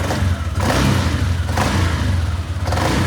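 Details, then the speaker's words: Motorcycle that would not crank, after ECU repair (MOSFETs good, a failed component and an IC fixed): no check-engine light, engine catches and revs in short even bursts with steady thrum between blips, smoking; now cranks and runs. "Tapos na, umandar na, nagka-crank na."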